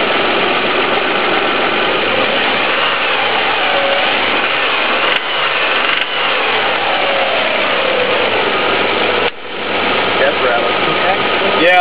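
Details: 1998 Honda Passport 3.2L at slightly raised idle: a loud, rough, rhythmic metallic knock that first appeared at start-up, with cylinders being disconnected one by one.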